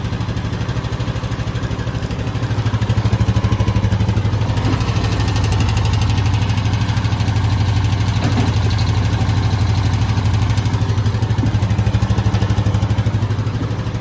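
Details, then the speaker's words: Honda Rubicon 520 DCT ATV, first start after valve adjustment: single-cylinder even steady idle about three beats a second, no ticking, sounds good. "First start, and this will tell you everything you need to know. Sounds good."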